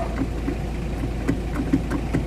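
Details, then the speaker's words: Mitsubishi L300 diesel idling after greasing the clutch release bearing and its main drive guide: steady low idle with only faint light ticks, no bellhousing rattle; the earlier transmission noise is gone, though the clutch pedal is now too soft from over-adjusting the push rod. "Isa yung naging maganda dito mga boss, nang malagyan ko ng grasa yung release bearing, pati yung daraanan ng release bearing niya or itong main drive, nawala na yung ingay ng transmission."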